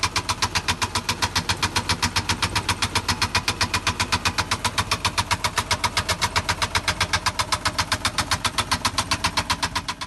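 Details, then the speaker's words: Aston Martin V12 idling with a loud, regular metallic bottom-end knock about four times a second. Suspected: run low on oil, with failed big-end bearings on cylinders 6 and 12. Unconfirmed. "if i had to guess from that video clip then it's been run low on oil big m bearings for cylinder 6 and 12 have failed"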